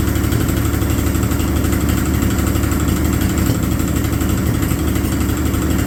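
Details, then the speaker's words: 1950 Chevy 1-ton truck, abandoned 216 inline-six, run through a couple of heat cycles on used filtered oil: rough, chuffy idle with an uneven beat, a misfire and a deep bottom-end knock; a thrown rod is suspected. "yesterday I ran this thing through a couple of heat cycles and it's h quite uh chuffy and uh it's got a miss and a bottom end noise that uh doesn't sound too good"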